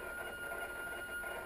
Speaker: I don't think refrigerators are supposed to make that kind of noise.